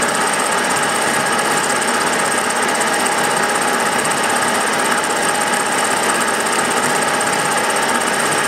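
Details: Milling a vee-block from dense old forklift-tine steel with carbide cutters, an angle cutter and coolant, taking 1 mm cuts: harsh, rapid buzzing chatter holding steady, louder with depth. A cheap Chinese arbor's runout lets only a few teeth bite.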